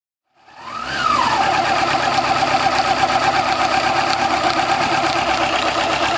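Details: 2000 Yamaha YZF-R6 starting and settling to a busy idle with a light mechanical ticking. The cam chain tensioner tick at idle was fixed by replacing the cam chain tensioner.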